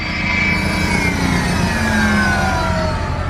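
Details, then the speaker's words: 2002 car with 179,000 miles on trailer, fan already noted making noise; steady loud rushing whir over engine with faint falling whine, no knocks; owner wonders if it's getting hot though weather is cold; loud cooling fan running, overheating suspected not confirmed. "like the fan wonder if it's getting hot now it's still pretty cold out"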